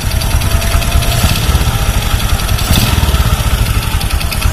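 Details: Honda Supra X 125 motorcycle: rough, rapid tek-tek rattle over a lumpy idle, loudest on the right clutch side, with loss of power; centrifugal clutch linings worn down to bare metal.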